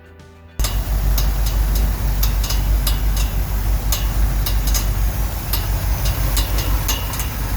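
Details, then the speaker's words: 1969 Ford F100 V8 idling after coil wire replacement: steady rumble with sharp, uneven slapping clicks about three a second as the cooling fan strikes the radiator shroud; pulling it back stopped it. "I don't know if that's a water pump or what that is fan hitting the radiator yeah it's a fan hitting the radiator I just pulled it back and that took care of it"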